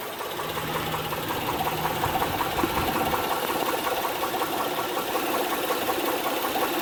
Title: Honda Pilot 2006 3.5l V6 knocking sound from engine. Camshaft lobe.